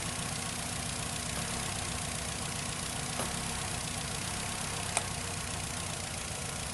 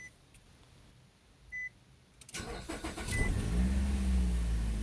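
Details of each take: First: 2008 Nissan Rogue with P0300 misfire code and engine rattle, idling with the cylinder 2 ignition coil unplugged: uneven, rattly idle with faint irregular knock that got worse, part of locating the misfiring cylinder. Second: 2008 Nissan Rogue with P0300 misfire, after replacing ignition coils and spark plugs: cranks, catches quickly and settles into a steady, even idle with no stumble or shake; service engine soon light still on; normal start and idle.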